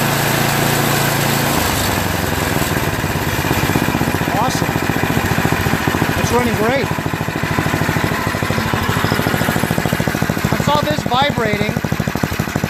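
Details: Yard Machines MTD 8 HP 24-inch snowblower engine after rerouting of the cracked oil breather overflow tube: a steady, even single-cylinder beat with no misses or surging. It runs normally.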